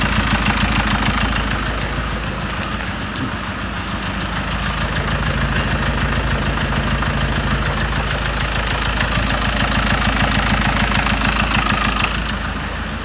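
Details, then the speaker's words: Ford Mondeo Mk5 2.0 diesel, 246,000 miles, after timing chain and tensioner replacement: steady clatter at idle with slightly uneven lumpy beat, chugging. "Do you know something? This engine, on initial startup, it was kind of like chugging a bit, like, I don't know, the bonnet here, this bonnet"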